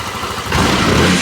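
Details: TVS Jupiter 125 scooter after clutch repair for a customer complaint of clutch noise on acceleration: engine catches and settles into a steady, even beat with no rattle or knock; the noise is gone and it sounds healthy.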